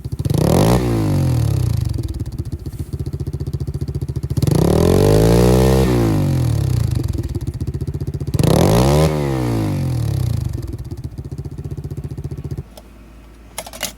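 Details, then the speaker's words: Pit bike with its stock baffled exhaust, before the baffle is removed: three quick blips, each pitch rising and falling back to a popping idle; muffled, called a "wet fart" sound, but healthy. "Your bike will no longer sound like a wet fart like this. And it will have all the power with no baffle in it."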